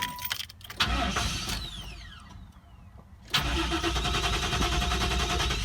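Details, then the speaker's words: 1996 Buick Roadmaster Wagon V8: cranks and catches, then runs with an uneven, lumpy beat stumbling on throttle, puffing black smoke, idling high then settling, with a bad hesitation; rough running engine, cause not found. "And the third thing is the car runs absolutely terrible."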